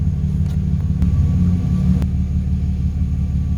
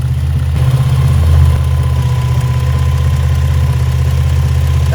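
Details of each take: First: Idle after fixing a vacuum leak (old PCV valve suspected) and a tune-up, with the scan tool showing O2 sensors working and the idle holding steady. Deep, even rumble with no ticking, jumping or dipping; healthy normal idle. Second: Engine after tune-up: steady low idle with a slightly uneven pulse and a faint thin hiss; spraying the rear exhaust header gasket changes readings, pinpointing a vacuum leak there.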